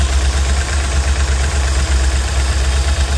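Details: 1968 Slickcraft 195 SS boat, first run in the water after sitting since 2007, after a failed distributor, with a new water pump and fuel pump, and idle just adjusted; even, low marine engine rumble at steady idle, no knock or misfire, then abrupt cut-off; normal idle.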